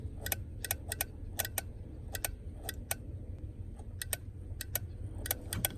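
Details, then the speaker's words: 1991 Ford F-150 I6, key in accessory with wiper switch on: sharp dry clicks in irregular bunches, two or three a second, from the wiper interval module (governor) while the wipers don't run. "turn it on turn it on clicking it's the governor governor's clicking"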